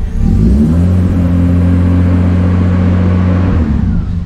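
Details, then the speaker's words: 80-series Land Cruiser after alternator and fusible-link replacement, started just after a battery disconnect while the computer resets. A steady low drone and light rev with no high-pitched whine, now that the cog belts are off. "Good thing is though, ladies and gentlemen, you can hear there's no cat whine. It's not going rear anymore because these cog belts aren't on there anymore, okay? So everything's nice and quiet now."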